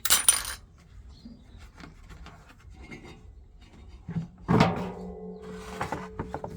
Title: Von washing machine drum with worn out bearings #noisy machine